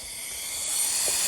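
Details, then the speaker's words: Freightliner truck fan hub (C15), removed and bench-tested with about 90-100 psi of shop air: a sharp, steady high-pitched hiss rising slightly as air escapes from the little centre weep hole underneath; it was not leaking the day before. "now it wasn't leaking yesterday but you can hear that leak and it's coming from underneath in the center there's a little hole"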